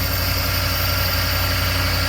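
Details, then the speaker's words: Ford F-250 Super Duty 6.2 just after repair of a valve problem causing multiple-cylinder misfire: smooth even idle hum, no stumble or skipped beats, engine not shaking; normal idle on all cylinders. "Parejita, mire. No se mueve nada el motor. Así que ya quedó."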